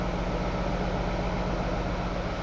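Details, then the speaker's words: CAT 3208 diesel water truck after fuel-supply work (it used to suck the fuel filter dry after a minute): steady, even low idle with no stumbling or surging, in gear and much smoother than before, cold and white-smoking; normal idle. "as you kill it in gear it's idling way smoother that's how it normally acts or used to"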